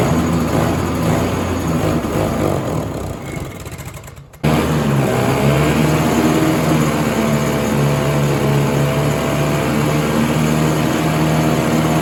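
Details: 1967 Ski-Doo Alpine twin-track snowmobile, sat many years, running on its own fuel line before carb cleaning: engine sags, nearly dies, catches and settles into a lumpy burbling idle, loaded with fuel; flooding, owner suspects debris in needle and seat.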